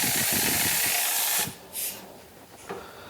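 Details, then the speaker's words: CNC total-loss way lube system with compressed air applied: a steady sharp hiss of air escaping through a bubbling leak, then cuts off. The metering valve is plugged, so air bypasses through the leak. "there's also leak here so watch that bubbling see that bubbling that means this is plugged up and the air has an easier way to come out right there"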